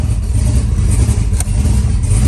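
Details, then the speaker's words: LS-swapped twin-turbo SN95 Mustang with Holley EFI, first start after build: deep, lumpy idle with uneven pulse and wavering level; fires right up but runs rough and needs tuning. "oh yeah [Music] oh yeah got a little tune work to do but she fires right up"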